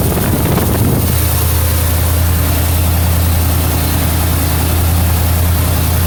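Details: 1977 Mercury Marquis straight-piped V8 idling after the ruptured carburetor fuel line was replaced: deep, loud, even lope around three and a half beats per second; smooth idle, no leaks; accelerator pump fix still pending.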